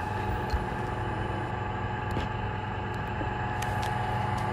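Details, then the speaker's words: Getra meat slicer with a total-power-failure complaint, after repairing the faulty cable: steady, even motor hum with no knocks or grinding, spinning normally. "Oke teman-teman ternyata mesin ini sudah hidup dan permasalahan hanya pada kabel ini sudah memutar"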